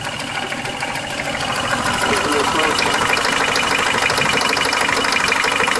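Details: Car engine ticking from start until shutoff, owner suspects somewhere around the oil pan: light steady ticking about three per second over the running engine, source low, cause unclear.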